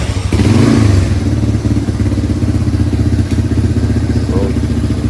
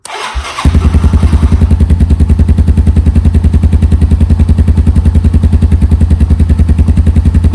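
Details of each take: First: 1987 Yamaha Moto 4 200 ATV after carburetor cleaning, main jet and needle/seat repair, cold weather: uneven, ragged single-cylinder idle that only keeps running on full choke; owner suspects a lean mixture, air screw at two and a half turns. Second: 1987 Yamaha Moto 4 200R electric-start ATV, sat 10+ years, with new battery: short crank, catches and settles into a steady, even single-cylinder putter with no misses; healthy idle.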